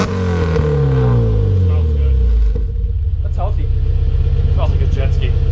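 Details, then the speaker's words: Nissan S14 240SX on stock ECU, just after oil and spark plug change with old oil cap refitted; smooth rev climbs falling back cleanly to an even steady idle, healthy running. "is [ __ ] almost like a jet yeah that's sound dude I know so no species can hardly talk yeah honestly not as I thought which really nice for drivability and I'm stock ECU"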